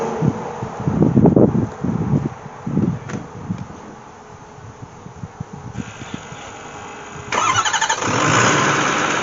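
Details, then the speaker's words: Ford F350 6.4 diesel started after an oil and filter change (15 quarts): cranking pulses, then a steady idle with the usual light diesel rattle and no knocking; normal idle. "if that was a gas engine we'd be in trouble cuz it's rattling like a diesel It's supposed to sound like that so we're good"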